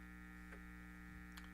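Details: Hammarlund SP-600 JX-6 tube receiver, first power-up on AM at 120 V through an isolation transformer: steady low electrical hum with a couple of faint clicks; receiver working normally, meter responding, dial lights unlit.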